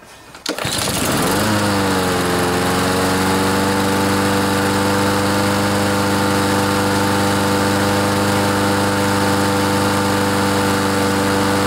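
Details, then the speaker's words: Troy-Bilt TB130 mower, 2–3 years old, with a Honda engine, after water-contaminated gas was found and the fuel system and carb float bowl were cleaned. It now starts but settles into a steady low drone and won't rev up. A slack governor spring is to be tightened with pliers. "you notice this lawn mower doesn't rev up very much there is something that we can do to fix that if you see this spring here if we if we're able to get that spring tightened a little bit the engines going to rev up more"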